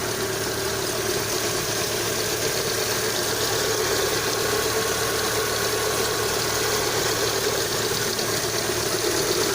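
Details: Lada Kalina 2 petrol engine at cold start, 12 °C outside, hood open: steady even idle with only soft ticking and hiss, no distinct lifter knock; the knock the owner reports occurs only when hot under load.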